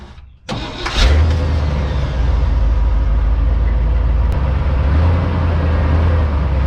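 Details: 1987 Chevrolet C-30 dump truck that sat about 15 years, after the 14-bolt rear axle with blown G80 locker and the brakes were repaired: catches after a short crank and settles into a deep, steady idle with no misses or knocks. Normal start.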